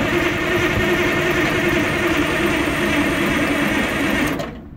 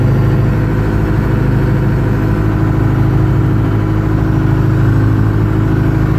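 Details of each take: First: 1980 Michigan Clark 55B loader, Detroit Diesel, newly rewired, earlier leaking injector fixed and fuel system bled, starting from the cab: steady, even crank for about four seconds with no firing; turns over but won't start; battery suspected low. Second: 1980 Michigan Clark 55B loader, Detroit Diesel, freshly rewired and started from the cab switch after a leaking injector was fixed; deep, steady idle with an even beat and no knocks or stumbles, runs fine, though the alternator isn't charging.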